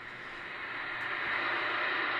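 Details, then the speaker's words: Replacement RF signal generator heard through a radio, output level stepped around the 101 setting: even hiss rising smoothly with a pop at a changeover but no signal dropout, unlike the faulty unit; output normal. "you can see around 101 it's actually working as it should be you can hear a pop where something's changing over but we're not getting that big signal drop"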